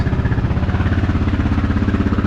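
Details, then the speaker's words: Honda XR650L after the factory decompression mechanism was refitted and the exhaust valve adjustment was fixed, warm after about 15 minutes with the choke slightly on: a steady, even thump about twelve times a second with no ticking or knocking, described as whisper quiet. "Had the choke on just slightly. That motor sounds whisper quiet."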